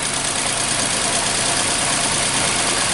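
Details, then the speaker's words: 2014 Nissan Versa three-cylinder with P0303, check engine light and start-stop fault, number 2 coil already replaced, mic at exhaust: uneven shaky idle with lumpy pulsing and vibration; misfire, a coil suspected, unconfirmed. "Alright, so I'm gonna put you down to the exhaust and hear how it sounds. Okay, that's pulsing. So that definitely has a misfire somewhere."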